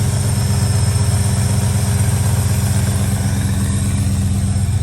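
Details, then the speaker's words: Old V8 truck (one-ton package, Dana 60) with port-ground heads: steady, even idle with a low regular pulse while warming up on choke, no knocks, misses or blue smoke. Normal idle on choke. "it's a good truck listen to it friends listen to it it's starting actually to pick up see the choke"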